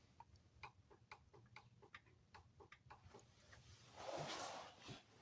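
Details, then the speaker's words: Abandoned, long-sitting project car with power applied: soft even clicks about three a second from the tank with no pump whir building; fuel pump clicks but does not run, owner suspects the pump itself. "yeah I just think powered fuel pump that don't run so you hear it clicking the tank"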